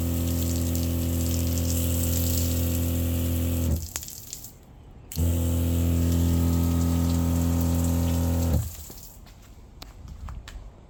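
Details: Newly installed SEAFLO water pump after priming (air purged, full flow), pressure switch cycling on demand: deep steady drone with low hum and water spray, cutting off cleanly twice; lower, more bass pitch with less high-frequency tinniness than the old bulkhead-bracket-mounted pump; runs normally.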